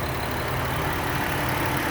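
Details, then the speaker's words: 2008 Dodge Caravan SE mobility van with a 3.3 V6 at 45,642 miles, hood open, checked for leaks: a short stretch of low, even V6 hum at idle with no miss, tick or knock. Normal idle. "let's pop the hood so you can hear it run underneath it has a 3.3 v6 it's very clean we've checked this over for leaks and idles smoothly"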